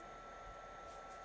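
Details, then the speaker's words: Commodore 128D after restoration and reassembly with top cover back on; the case cooling fan gives a soft, steady airy hiss with a faint constant whistle, no rattle or grinding, audible but not bad. Normal fan noise. "it doesn't irritate me f7 there soon the fan is not that bad"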